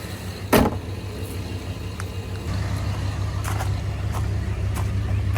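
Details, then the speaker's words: 1994 Jeep Grand Cherokee ZJ 5.2L Magnum V8 right after Idle Air Control valve replacement: steady low even rumble at about 700 rpm, no hunting or dips, stray click; normal idle, problem apparently solved. "It's idling at 700 RPM, which is typically normal for a 5.2."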